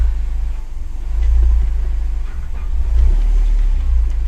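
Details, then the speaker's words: Mercedes CLK after clutch and flywheel replacement: deep, even engine rumble rising and falling smoothly with throttle through the gears, with no clunks or grinding. The previous metallic idle noise is gone. "le fait plus de bruit on va essayer forcer un peu sur les rapports non violent elle fait plus de bruit"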